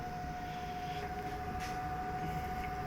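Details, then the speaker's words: Pecron E3600LFP power station powering three inverter window AC units: a steady mid-pitched cooling-fan whine with an even airy rush and no rattles or surging; normal fan noise under load. "so that's that's the noise most of the time um, 1500 watts in or so 2,000 out on a good day"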